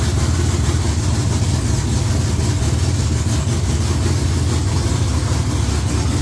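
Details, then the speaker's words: V8 with Holley electronics, just after an oil filter change: deep, steady, loud idle with an even lumpy pulse and no knocks or misses; normal, healthy idle. "yeah sounds good there it sounds damn good"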